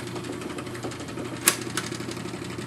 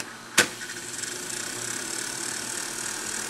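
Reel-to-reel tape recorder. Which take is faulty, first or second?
first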